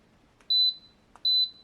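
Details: TEVO 2 kW infrared heater SNBHTR after no-power repair: two clean high short beeps about three quarters of a second apart; controls respond normally while heating.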